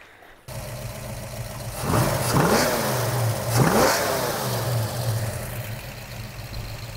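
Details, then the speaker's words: 1967 Mustang 289 V8, about 400 hp, after carb tuning with 50cc accelerator pump diaphragm and float adjustment, two clean throttle blips climbing smoothly and dropping to steady idle; normal revving. "perfect that sounds pretty good it's"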